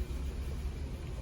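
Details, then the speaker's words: 2004 Toyota Avalon after replacing the valve cover gasket and wet spark plugs for hard starting: low even rumble at idle, no misfire stumble or knock; now idles smoothly, normal idle. "So pagka umandar na po, tumino na, praise God."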